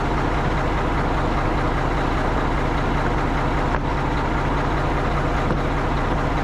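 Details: Tri-axle diesel dump truck after its dead-battery no-start was fixed: steady low rumble at an even idle, no misses or knocks; normal diesel idle.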